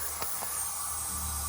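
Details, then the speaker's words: Seat Ibiza FR 1.8T, under the car, the push-connector boost pipe joint down from the turbo pressurised to about 13–14 psi with the engine off; a steady rushing hiss of air escapes there. Massive boost leak; pipe and seal to be removed and checked. "this is the push connected joint down from the turbo and it's leaking from there i'm only putting about 13 or 14 psi in there and it's a massive leak so"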